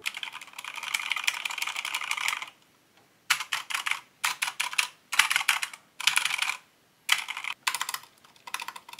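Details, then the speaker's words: Corsair mechanical keyboard after a couple months of use: fast bright clacking with a hollow, loose rattle behind each keystroke; key rattle, cause not identified. "like bro that sound that rattle i don't even know what you call it but i just can't stand it"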